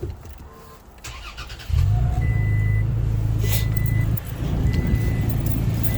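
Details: 2023 Toyota Tacoma with 4,000 miles, warming up: starter catches quickly and engine settles straight into a smooth, even idle with a few dash chimes; normal start and idle.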